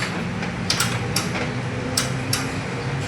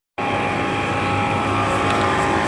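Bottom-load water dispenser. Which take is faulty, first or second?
first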